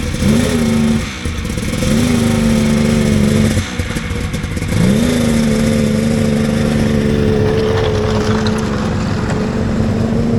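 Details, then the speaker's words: Vintage Polaris XLT triple snowmobile after sitting all summer, airbox refitted, test throttle hits: revs climb then flatten and hang, a clear bog; thermal camera showed all three cylinders firing; cause unknown. "well that was a disappointing test run Mega bog"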